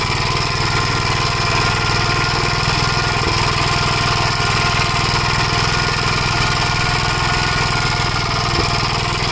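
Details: 1956 Gravely Model L single-cylinder, governor removed, after full-throttle running: uneven chugging with occasional sharp pops, smoking; owner suspects oil-fouled plug, possibly broken ring; carburetor and points fine; unconfirmed.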